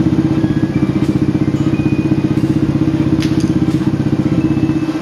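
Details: Old motorcycle single-cylinder engine after replacing crankshaft bearing and piston, previously very noisy: even, steady thump about four beats a second, no knocking or rattle; normal idle after repair.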